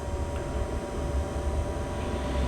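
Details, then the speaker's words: Vevor 3kW diesel heater in a UK camper van running up after ignition, warmth starting to come through: faint steady whir with soft even tones over a low hum, no rattles or surging; normal operation. "there we are now, that's starting to run up properly. You can just feel a little bit of warmth coming through now"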